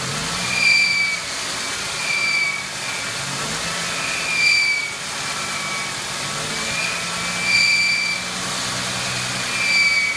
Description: 99 Ford Mustang 3.8L V6 squealing sound coming from engine.